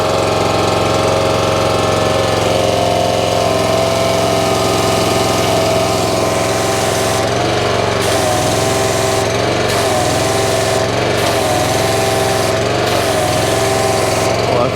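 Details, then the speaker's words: North Star 3000 psi pressure washer, Honda engine, resealed CAT 5DX40G pump with new valves: steady engine drone under load, firm pump tone, no shudder; after repair of vibration and low pressure, runs properly at pressure. "feels really good feel that whole thing in it like I did before"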